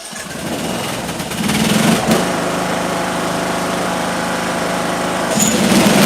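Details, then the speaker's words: Small engine with ignition coil air gap set to 0.030 in (0.010 recommended): catches, climbs to a steady, even high-speed beat without misses or stumbles; still running good. "All right, so now we're at 30 30,000. We're at 10 is the recommended and it's still running good."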